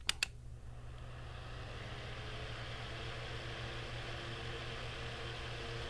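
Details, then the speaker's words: Bathroom fan after freeing and oiling seized motor (previously humming, blade barely turning): a couple of clicks, then even quiet hum on high, no scraping; running smoothly. "that fan is running incredibly smooth that is working so much better now guys"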